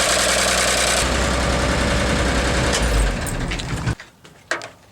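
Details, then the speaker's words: 1957 Chevrolet 6400 fuel truck with a T-shirt as emergency fan belt driving water pump and fan, alternator removed for repair: rough chugging six-cylinder idle with steady beat, no squeal or slip, then shutdown; runs fine. "And I'm going to start it up and let you see how it works. Alright, the truck is running. As you can see, the fan is turning, it is working."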